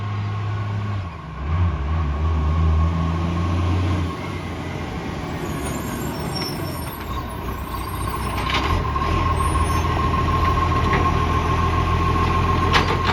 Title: Cessnock Garbage - Exhaust leak